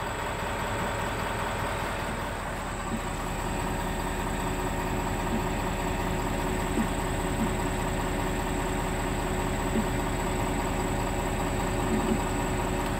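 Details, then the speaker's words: 2020 Ford F-250 6.7L Powerstroke at idle: steady diesel idle with a dull, uneven thump two or three times a second; owner suspects the lift pump or the rear fuel filter/water separator housing, cause unconfirmed. "it just idled here that entire time and it didn't do that don't know if it's something to do with the rear fuel filter housing the water separator housing or what"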